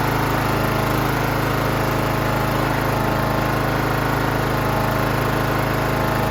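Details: John Deere GT 275 Kawasaki engine after replacing a broken valve spring, with new valve cover gasket fitted dry: smooth, constant hum at steady speed, regular firing beat, no ticking or clatter; runs healthy.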